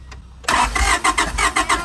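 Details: Honda Prelude H22 off the road 16 years, cranked during spark plug spark check: even pulses about four per second, no sign of catching; turns over but won't fire.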